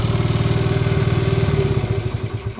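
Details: 1986 Honda TRX70 single-cylinder ATV, warm after its first start in years: steady idle thumping about thirteen times a second, then it stumbles and dies away when shut off.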